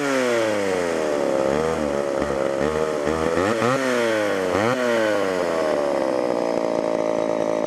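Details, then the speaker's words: Homelite Super XL two-stroke chainsaw: screams high, pitch surging and dipping unevenly off throttle; lean on the low-speed circuit, needs carburetor adjustment or the diaphragm to soften up. "hmm definitely lien on the bottom and either gonna have to adjust that or maybe just let the carburetor diaphragm kind of soften up here"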